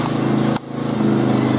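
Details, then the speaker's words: Hanway 125 single-cylinder bike running with a steady buzzing beat, briefly dipping then picking back up evenly; running problem was fixed after the pipe, fitted on the wrong hole, was corrected. Normal running. "Some idiot with a pipe. So it was a pipe issue. Basically, the pipe was on the wrong flipping hole."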